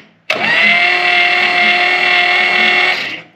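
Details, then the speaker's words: Long-sitting 1956 Oldsmobile 88 with a stuck starter armature just freed: smooth, steady high whine held for about three seconds as the starter spins freely and turns the engine over nicely. Plugs out, oil added before a compression test. Normal starter spin. "it's turning nice though"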